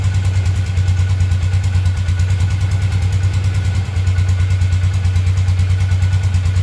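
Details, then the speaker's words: 2012 Polaris Ranger 500 EFI after a new top-end rebuild with an aftermarket piston kit: steady, even single-cylinder thump at fast idle with no knocks or ticks, and the faint suction sound shows the oil system is purged; normal idle. "So I don't know if you guys could hear that, but that little suction sound, that was the sound that we wanted to hear. So that means the oil system is purged, so we can go ahead, top off our levels and everything."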